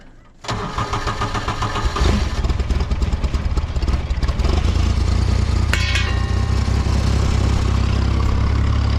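Starter catches quickly and the engine fires, settling into a steady, even low rumble at idle; starts and runs normally.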